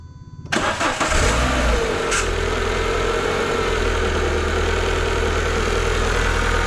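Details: Engine catches after short crank and settles to idle with a thin steady squeal from start-up only; suspected worn crank pulley rubber insulator slipping, AC, or throttle body servo motor, not confirmed.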